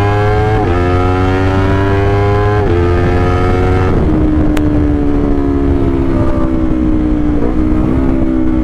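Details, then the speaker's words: Honda CBR 250RR after repair of a misfire/limiter-like stutter at high RPM, idle now stable, fuel pump clean, MPTech quickshifter fitted: engine pulls hard through the revs near the upper RPM range with crisp quickshift upshifts, no stumble or misfire; normal acceleration. "dan motornya juga menurut saya powernya masih enak karena full Pum kondisi bersih ya aku juga sudah pasang Qui shifft Jadi kalau kalian dengar quick shift suara quick shift ya itu tadi pakai mptech sekali"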